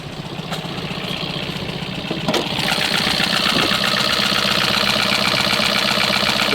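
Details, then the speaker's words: 2025 Kia Soul engine at 12,000 miles, warranty denied, sludge from constant idling and low oil: loud, fast metallic clatter and chatter from the valvetrain at idle; smoke from the tailpipe, and a broken motor mount is suspected. "But you hear how bad that thing sounds? I mean, it is just clattery, chattery."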